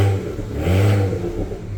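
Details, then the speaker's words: BMW 335i N54 with newly installed RB twin turbos after oil feed line leak fix: short blip rising and falling smoothly, deep even exhaust, no rattle on overrun; normal revving. "Alright, first impressions. There's a lot more turbo spooling noises."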